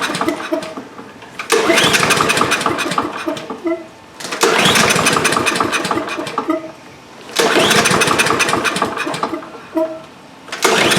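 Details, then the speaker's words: Two-year-old DeWalt mower with Briggs & Stratton engine, stuck choke freed and closing properly: three pull-start bursts of rapid cranking with no firing; fuel starvation. "Well, even with the choke plate closed as it should be, it's still not starting. That's right. Let's delve a little deeper. Our next question is, is it getting fuel?"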